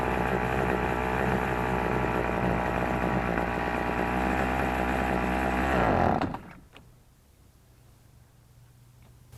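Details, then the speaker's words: Troy-Bilt XP string trimmer with ZAMA C1U carburetor: buzzy two-stroke idles steadily, then cuts out abruptly as soon as throttle is given; stalling under throttle from a clogged carburetor, cured by cleaning. "happens every time soon as I start giving it a throttle it just dies"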